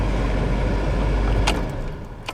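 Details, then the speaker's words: 1989 BMW E34 climate control blower: a steady, heavy rush of air that never eases off, even with the control at zero. The fan is stuck on high and the control unit is suspected. "the problem with this one is uh the fan stuck on high. So, let's start it up and I'll show you. So, it doesn't matter. Control settings set for zero. Doesn't shut off."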